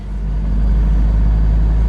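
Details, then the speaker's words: 2010 Toyota Innova, after steering column boot replacement for heavy noise at 60-70 km/h in 4th/5th gear: steady low engine hum in cabin, no rubbing, knocking or whistling; noise gone, cabin quiet and healthy. "ഇപ്പോൾ വണ്ടി ഓക്കെയാണ്, ആ sound കാര്യങ്ങളൊന്നുമില്ല."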